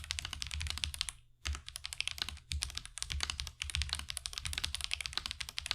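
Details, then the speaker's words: Marvo KG972W gasket-mount mechanical keyboard, stock tactile switches, right out of the box: fast typing gives sharp, thin, high-pitched ticks on each keystroke, attributed to the tactile switches; stabilizers have little to no ticking. "Overall, it does sound a bit high-pitched and ticking. I'm pretty sure that's because of the switches that are causing the ticking that you hear that makes that really high-pitched sound,"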